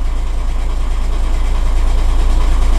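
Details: 2007 VW Caddy 1.9 TDI 105hp BLS diesel idling after replacing alternator pulley and auxiliary belt/tensioner that had squealed and lost charging: even idle about three pulses a second, no knocks, rattles or belt squeal; running fine.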